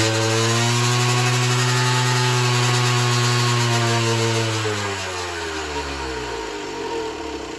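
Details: Generic Trigger SM 50cc two-stroke on a temporary fuel tub with a stiff temporary throttle cable: revs hang high in a steady wail, then slowly sag and surge. Owner suspects an air leak, later found around the intake manifold; main and pilot jets were also blocked.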